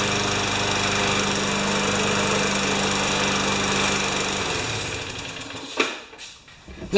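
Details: 5 HP Tecumseh junkyard mower engine after reaming the carb's second hole and a new primer bulb: steady even single-cylinder buzz for several seconds, then clean shutoff; runs healthy.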